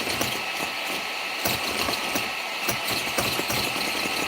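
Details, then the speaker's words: RC basher (Limitless build) motor bench test at 7.4 V and higher: a steady high electric whine with light ticking holds an even pitch; the brushless motor spins fast and clean and sounds healthy. "voltage you hear the voltage increase that's a higher voltage we're running 7.4 even more than that look at that oh my God"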